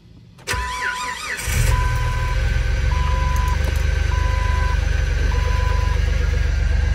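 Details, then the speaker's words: Jeep Rubicon, about 1,700 miles, rod knock suspected earlier; cold start after sitting overnight: about a second of cranking, a slow start, then a steady even idle with a chime beeping; no knocking or ticking, and it holds oil pressure. "I don't like how long it took the start and how we can sounded but it's running and it's not knocking and it's not clicking so that's good and it's holding oil pressure"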